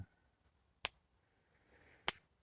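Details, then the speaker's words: Electric fence insulator in freezing weather: sharp, dry ticks about a second apart over near silence as frost on the insulator lets the fence pulse arc across. "there's enough frost on that insulator that it's arcing through not much I can do about that"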